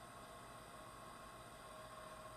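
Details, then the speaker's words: Secondhand electric fireplace insert, heater fan running before teardown: steady fan drone with a thin, persistent whine over the airflow; heat works, owner suspects worn or dry fan motor bushings or bearings needing lubrication. "either the bushings or bearings are going or they just need lubed up so we're gonna try either or but it does blow very nice heat so everything else seems to work but it's just making that god-awful sound"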